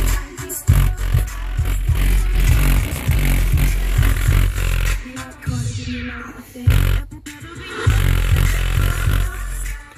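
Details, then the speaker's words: 2000 GMC Jimmy SLE 4-door: music faded to the front dash speakers gives heavy bass that rattles and farts out from the blown factory front speakers. The rear speakers are fine. "now here comes the fun part I'm going to go fade this up up to the front so you can hear how blown up these front ones"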